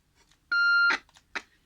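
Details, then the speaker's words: Realistic TRC-1007 handheld CB radio on external power, receiving a Midland set keyed on the bench: clean steady beep about half a second long through the speaker; receiver works. "So it does receive."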